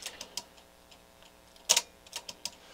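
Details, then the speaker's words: NAD 6155 cassette deck, take-up spool not turning and no fast forward or rewind: light, irregular ticks and clicks with no motor hum as the transport mechanism fails to engage; owner suspects a gear hidden inside with a tooth or two missing. "there's something going on in behind here that i can't see it's making that noise i think it's a a gear with a tooth or two missing"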